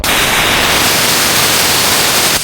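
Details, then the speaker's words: Shop air compressor at about 155 psi after pressure-switch repair: loud steady hiss of air rushing out for over two seconds, then cutting off sharply; tank pressure relief safety valve popping off as designed. "That's how that works. It's got a lot of pressure behind it and it doesn't take much to make it pop off."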